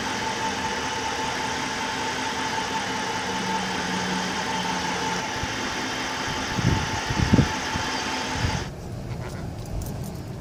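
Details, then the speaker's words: Chrysler 300, 5.7L Hemi, 127,000 miles, just started after heads rebuilt for the valve-seat failure (a seat dropped on a warm restart): even, steady idle with no knock or tick; the rebuilt V8 sounds healthy; normal idle. "sounds pretty normal no lift or ticks or nothing Prelude took care of that and then letting it sit for a couple hours after those Prelude [Music] [Applause] sounds normal there you go"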